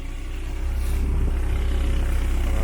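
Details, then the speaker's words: 1972 VW Beetle with rebuilt 1997 Subaru EJ25 DOHC flat-four; deep even burble, owner says it sounds like a super V8, no knocks or ticks, healthy fresh rebuild running smoothly. "yeah she's beast she's a beast and she sounds like she sounds like a super v8"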